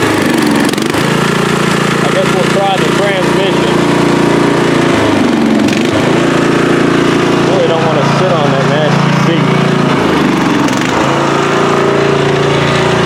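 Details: Free riding mower, tank previously drained, running after flood-prone start attempts with fuel clamped off to stop flooding: steady, even drone with no surging or stumbling; carburettor feeding properly, runs clean.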